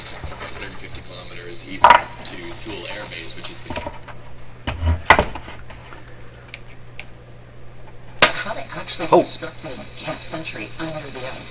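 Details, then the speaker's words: Canadian Marconi Model 93 radio speaker under test for possible voice-coil rubbing: a DC pulse pushes the cone past its normal travel. Sharp, irregular knocks and rattles like rapping on a loose window sound over a low hum. "and what's it sound like it sounds like somebody rapping on a loose window"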